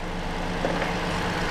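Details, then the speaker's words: 2020 Toyota Sienna with a crank-no-start from a shorted ignition coil, restarted after clearing codes; the OEM Denso plug showed no cracks: a smooth, steady low idle with no misses or knocks. Normal idle. "But everything else, let's start it. Starts. It runs."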